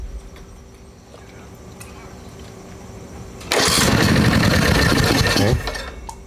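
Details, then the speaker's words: 2003 Snapper rider mower after electrical repairs, brought off idle while cranking: quiet ticking, then loud ragged sputtering as it tries to catch and dies; fires but won't start, flaming back, suspected reversion, valves to be checked. "foreign yeah she's flaming all right so there's some kind of reversion going on we need to check the valves"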